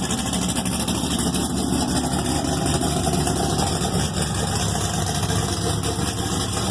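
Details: Thelma, an Exile Fab frame rig with an LS3 V8, 208 Motorsports harness and Reid SH400, on its first start after the rebuild. Steady, even, deep low-rumbling idle with no knocks or misses. Normal idle.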